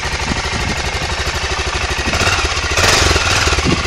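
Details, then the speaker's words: Engine from a 2003–2007 Aprilia Pegaso 650 running on test: even single-cylinder thumping at idle with a quick rev blip, holds idle well, no white smoke or odd knocks; good compression, healthy valvetrain and bottom end. "El motor suena muy redondo. Mantiene muy bien el ralentí. El motor se ve que suena bastante bien."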